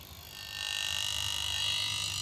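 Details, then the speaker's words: PDC/Poliwang fish-stunner with ultrasonic coil in aluminium case: steady high-pitched shrill buzz with faint low rattle; circuit's ultrasonic coil resonates against aluminium cover, quieter with cover off. "Sekarang, suaranya sedikit lebih tenang karena suara tersebut dihasilkan oleh respons rangkaian ultrasonik ini terhadap penutup aluminium. Inilah yang menyebabkan suara tersebut."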